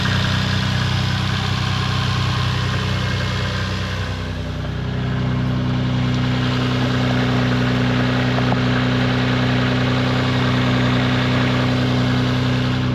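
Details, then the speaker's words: Toyota Supra MK4 2JZ after its split exhaust manifold was welded and refitted with induction kit and heat shields: settled, even idle with steady low drone and no exhaust tick or puffing leak; normal idle, blowing manifold fixed. "well that definitely sounds better than what he did at the start of the video"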